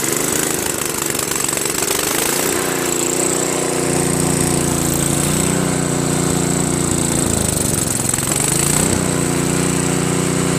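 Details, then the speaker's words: Craftsman 522 snowblower with Tecumseh engine, sat unused for years; runs only on choke or half choke, and only low throttle at full run: single-cylinder buzz surging and sagging. Owner suspects a hardened, collapsed fuel line starving the carburetor; auger doesn't spin. "Idles pretty well, but it runs only on choke, you know, or halfway."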